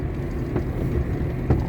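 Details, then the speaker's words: GAZelle NEXT, in frost around −20 to −23 °C: two dull, sharp clunks about a second apart over road rumble when driving over bumps and potholes; knock from under the cab, felt through the floor at the feet, absent in warm weather, service found nothing, cause unknown. "на перепадах на ямках на кочках вот этот звук отчётливо слышно стук такой"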